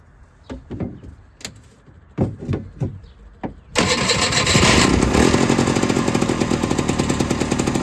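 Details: Off-road machine with a fuel pump, usually hard to start after sitting about a month, fired with ether and a jump pack: a few clicks, then it catches and settles into an even, steady beat. Normal running.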